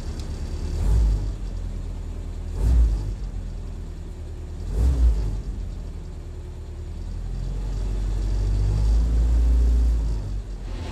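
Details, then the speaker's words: Willys Jeep, freshly rebuilt original-parts carburettor, cold with no temperature showing yet, good oil pressure, choke on: low steady rumble at raised idle with slow swells; normal fast idle while warming up. "still got a fast idle going no temperature showing yet good oil pressure just heating up"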